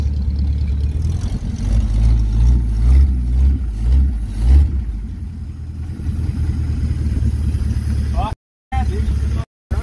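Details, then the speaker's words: 1951 Pontiac Chieftain, first run after months of revival work, no radiator fitted, smoke appearing. Loud raw throttle blips swelling and falling back with open blatty roar; exhaust broken off partway along the pipe, engine otherwise sounds pretty good. "where is it smoking the exhaust is broken off like right in between here"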